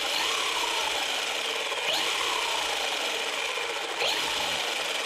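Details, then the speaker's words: RC car whose ESC kept blinking red and cutting throttle after a few seconds, now after the fix: motor whine rises and falls driving forward and reverse over gear rasp, no cutting out, first time it kept running; normal running. "so that's the first time it continued running this is the first time it continued running"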